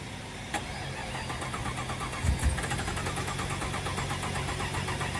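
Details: 1998 Jeep Grand Cherokee Limited, fuel-injected, unrun after sitting over two years in the woods, being jump-charged for a cold start. The starter churns it over in a fast, even rhythm for seconds, but it never catches.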